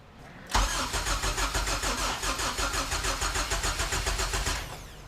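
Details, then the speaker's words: Honda EK hatchback with a zero-mileage HPD K24Z7 racing engine swap, first start attempt: the starter cranks evenly for four seconds but it never fires. Crank no-start, suspected no fuel, possibly a missing jumper; not confirmed. "all right let's try again again oh one more try there's no fuel"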